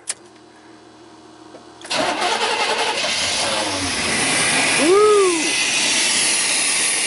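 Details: 1988 Chevy pickup 5.0 V8, 104,000 miles, which died on the road and would not start, fired after connectors were reconnected and a jump pack was added: quiet at first, it catches about two seconds in and settles into a steady, even run.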